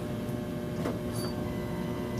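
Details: Fuel pump deadhead test with the return line removed and blocked and the pump jumped, reaching about 80-85 psi: steady low electric hum with no surging or squeal; pump is good, the fault is a stuck-open fuel pressure regulator.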